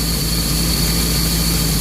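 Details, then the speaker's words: Chevy 5.7L 350 marine engine with OMC Cobra outdrive, being winterized. Idle brought up by ear for fogging; the tach reads about 1000 rpm but may be off by up to 200. Steady, even low drone, no misses or knocks. Normal fast idle. "the engine at idle i like to bring it up a little bit maybe to somewhere around 500 rpms i know my tax says 1000 but my attack is off by as much as 200 rpm so i'm gonna go by sound here and right about there"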